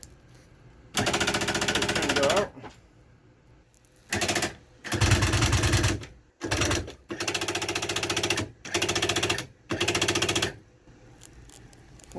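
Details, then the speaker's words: 2006 Rampage toy hauler bedroom slide-out that won't extend: bursts of harsh rapid rattling each time the switch is pressed, gears skipping like clutching instead of driving; worn slide motor gearbox, new motor recommended. "I think we're gonna have to recommend a new motor so this is actually the gearbox right here"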